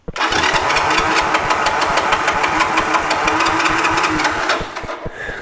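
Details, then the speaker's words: 1986 Honda TRX 125 ATV, spark confirmed, on reserve fuel, cranking: even quick chug about three compressions a second, never catches; owner suspects carburetor not picking up fuel. "I was hoping it would fire without having to do anything crazy, but I mean, who knows what the carburetor looks like. I mean, maybe it's not picking up any fuel."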